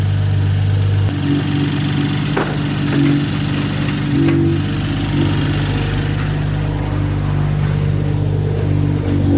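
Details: BMW M340i just after fitting an upgraded intake manifold, port injection, Dorch DS25 high-pressure fuel pump and S58 injectors: deep steady idle drone with a loud, rapid machine-gun-like exhaust burble; idles smoothly, though a check engine light is on.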